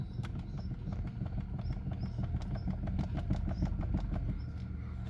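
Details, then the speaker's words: High-mileage car, engine idling while the steering wheel is turned at a standstill: dull knock about three times a second; owner attributes it to the steering column shaft universal joints (two crosses), planning to replace only the crosses. "сегодня хотел озвучить одну проблему которая присутствует на автомобиле это стук при повороте руля причем при повороте на месте"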